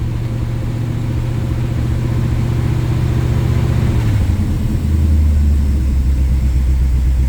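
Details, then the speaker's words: 1968 Chevy Camaro SS V8 after new spark plugs, still cold: idles low and fairly steady with slight unevenness and an rpm dip; exhaust pops gone, mild stumble remains, owner suspects low fuel, cause unconfirmed. "But I'm not hearing any pops in the exhaust like I was, but it's also not warm."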